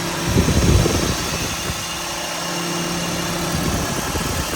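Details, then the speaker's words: 2005 Honda Civic Hybrid at about 135,000 miles, after swapping in a pair of 2001 Civic cooling fans for failed originals, A/C on at idle: steady fan hum over constant low drone, no rattle or scraping; fans working. "So now I'm going to fire it up, turn on the air, see if I get some fans. Yes, sir, we got fans."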